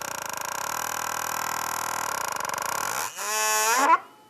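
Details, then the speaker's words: Automatic transmission PWM solenoid on the bench, pulsed by a homemade box's 5 V square wave through a transistor: even, steady electric buzz for a few seconds, then the tone shifts; solenoid operating normally. "then i'm going to have ground hooked up to this guy then when i turn this on you can hear it operates that solenoid"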